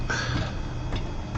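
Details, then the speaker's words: 360 Systems Instant Replay audio soundboard, late-1990s SCSI hard drive: scattered dry ticks and scratchy bursts over low hum as the drive seeks on every button press; drive suspected failing, replaced with SCSI2SD memory card. "Every button press has hard drive sounds, like it's going all over the place, all over the hard drive to find sounds."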